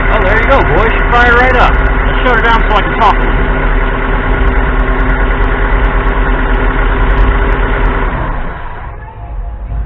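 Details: 2.0 L 4-cylinder Neon with a dead battery, jump-started by a recharged Stanley Fatmax 700 peak/350 A pack after a 10-minute wait: engine catches, settles into a steady, even idle, then is switched off; healthy start.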